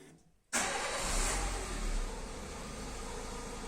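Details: Peugeot after fuel pump and filter replacement (old fixing ring refitted), final test start: engine fires immediately, revs briefly and settles into a smooth, steady idle with no stumble.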